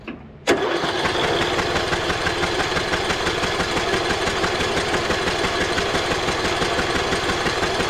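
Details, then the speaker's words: Abandoned MTD Bolens riding mower, fuel-flooded engine cranked on a jumper pack with spark plug out after freeing rust-seized pulley: sharp start, then fast, even cranking with hissy spray of gas everywhere, no firing. "it's going to be spraying [Music] everywhere oh my lord it's a good thing we did this on a day where everything's soaking wet"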